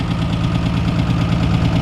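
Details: 1961 Ford Falcon, abandoned about 15 years, started on key without throttle: low, lumpy idle with uneven pulse and occasional missing beat, maybe a cylinder not firing, cause unconfirmed; rough idle.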